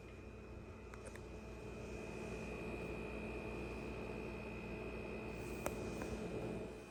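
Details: Ca'Lefort 15-inch dual-zone wine cooler refrigerator after install: steady, even buzz with a fixed high whine the whole time, far louder than other household appliances; loud buzzing while running, cause unknown.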